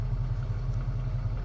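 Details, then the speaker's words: 1991 Ford Bronco 5.0 fuel-injected V8, 5-speed, after fixing an O2 sensor code 41 lean fault: idle drops properly and holds steady at 700 rpm, low even pulse with no hunting or surging. Normal idle. "there you go drop down properly and you can see it's right there at 700 p.m. I'm not going anywhere"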